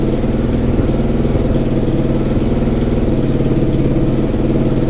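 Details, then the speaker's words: Suzuki SV twin after engine reassembly and corrected timing: starts instantly and settles into an even, steady idle with a regular low pulse and no misses or mechanical clatter; an exhaust leak at the top remains. "Donc elle démarre au quart de tour, ça c'est plutôt cool. Ça sonne beaucoup mieux."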